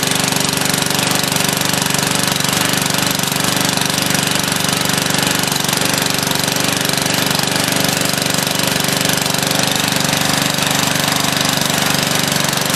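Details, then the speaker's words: Old free Lawn Chief riding mower, last used a year ago, first start on a dribble of gas with a makeshift battery hookup: loud, harsh, rapid chatter at steady speed; runs rough, owner suspects it needs fresh gas and a tune-up. "like it definitely is some fresh gas and a tune-up and a new battery cable in but hey she runs"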